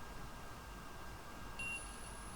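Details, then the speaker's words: ESP32 programmed with ESP-IDF driving an intro buzzer: a faint, steady high beep starts partway through and holds about one second over room hiss, sounding as programmed. "all right here go the yep I hope you can hear it I hear it quite faintly"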